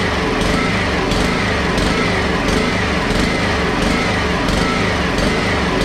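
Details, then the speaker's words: Honda HRX217 mower with three carburetor/air-housing gaskets stacked instead of two: engine runs unevenly, pulsing about one and a half times a second; surging from carburetor problems, not confirmed. "so so obviously there's a few cart problems but the wheels do work based on the front video or the video before this"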